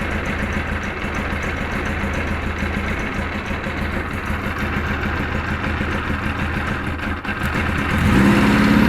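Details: Kawasaki KZ1000 police bike, cold, choke off then half choke: four-cylinder runs rough and uneven, stumbling and surging, barely keeps running, with vibration noise on the left; hard starting and poor running, cause unknown.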